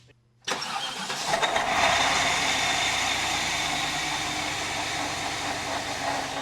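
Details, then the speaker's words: Cheap used car at start-up: the engine cranks and catches, then a high, steady squeal sits over the idle, from a slipping serpentine belt. "Yeah, it's got the super fancy wood strut action on it. But let's check out this squeal."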